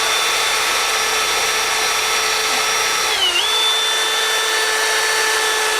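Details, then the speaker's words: 2000 Ford Ranger 4.0L Cologne engine rebuild, valve lapped with a drill on the cylinder head: steady high drill whine with gritty hiss, pitch dips then settles evenly; tone change indicates the valve is seating. "So, you will hear a little bit of a tone difference. That's how you're supposed to be able to tell if uh the valves are grinded, as well as some of the shininess should go in."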